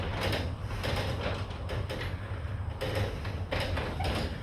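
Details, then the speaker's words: Chamberlain RJO20 wall-mount direct-drive garage door opener, newly installed, closing the door: a low, even hum with soft periodic rattles and no grinding or straining, very quiet; normal operation while closing. "The thing with me is, it is so much quieter. I will take an extra 5 seconds to open the door for how quiet it is. It literally makes no noise at all."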